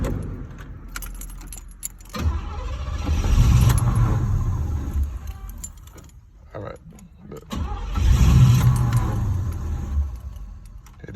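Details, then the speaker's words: LS-swapped G-body Monte Carlo, new battery, plugs, wires, cap, rotor and coil: it cranks and barely fires twice, each time dying within seconds; crank no start caused by a fuel pump relay fault. "I got in the car to go start it the car kept cranking matter of fact Let me show y'all what it was doing car kept cranking didn't want to start"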